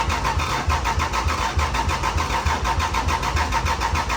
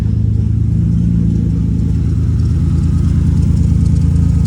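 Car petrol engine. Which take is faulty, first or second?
first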